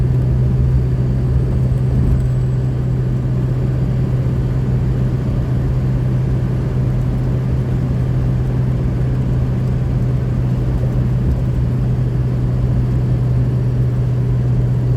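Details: 2003 Ford F350 6.0 Powerstroke diesel after replacing LH Y-pipe to turbo V-clamp, fixing exhaust leak, over-boosting and power loss; deep steady drone, even hum, no puffing or ticking: normal running, sealed exhaust after repair.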